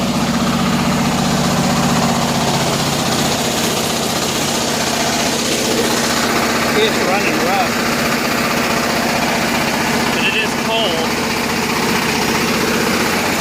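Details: 7000 W Kohler generator in a bus: a steady mid-pitched drone with an uneven, stumbling beat of about four pulses a second, running rough. The choke was suspected, but opening it fully did not help; cause not confirmed.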